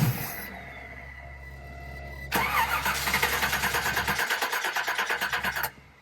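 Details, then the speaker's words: 1969 Camaro SS not started in six years, with a home-rebuilt Edelbrock four-barrel carburetor, cold engine: the starter spins steadily about three turns a second for several seconds without catching. Hard cold start. "got to get some heat in this engine I could have gone out and bought a car that was more complete that was in better condition it does not like being cold"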